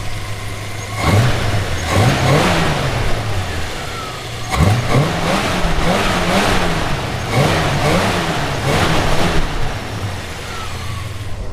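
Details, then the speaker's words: 1970 Plymouth Fury III convertible, 318 V8, 904 automatic, warm, after reconnecting a hose: engine snaps up cleanly through several quick blips and settles back each time, crisp and even, no stumble; healthy revving. "responsive when she's nice and warm isn't she"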